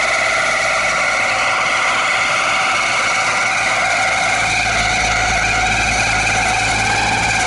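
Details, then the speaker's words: 20-year-old outdoor AC unit, noise appearing after about twenty minutes of running: a loud, steady droning whine with several fixed tones over a constant roar; the condenser fan motor is failing and needs replacing. "Here is that noise. Yeah, it's the condensing motor. Yes, sir."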